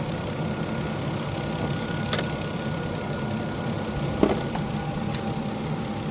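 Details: 2011 Volvo XC60 idling just after a light tune-up with new Bosch spark plugs and the coils refitted. A quiet, even idle with a smooth low hum and no misses or knocks; the engine runs steadily and sounds healthy.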